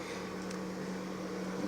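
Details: Toyota Lite Ace Noah with humming, stiff power steering, about 300 g fluid replaced with sealant additive, wheel turned left-right: steady low hum then rising whine; pump hum, later resolved by the additive.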